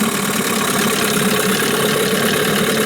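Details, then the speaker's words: New Hangkai 9.8 two-stroke outboard in a break-in barrel, ignition timed per the Tohatsu manual: light, even burble at an idle set to 900 rpm. Steady pitch with no hunting or misfire; the idle is healthy. "Холостые, соответственно, были выставлены на уровне 900 оборотов."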